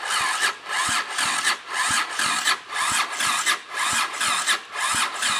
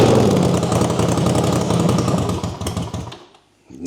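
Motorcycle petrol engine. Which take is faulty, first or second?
first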